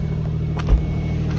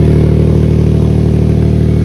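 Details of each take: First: Nissan after DIY exhaust leak fix with bandage and tape: low steady idle hum with no puffing or ticking from the pipe; exhaust sounds sealed and quiet, normal idle. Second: Nissan at idle with a small exhaust leak, before a DIY bandage-and-tape repair: a loud, raspy, straight-pipe-like idle with quick steady puffing, about four beats a second, riding on the engine note.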